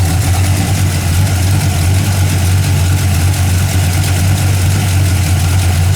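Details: 1981 Camaro V8, warm, after a top-end swap (roller cam, aluminum heads, different intake) and retune, with 35–40 psi oil pressure: a deep, steady idle with an even low rumble and no knocks, misses or ticks. It runs smooth and healthy.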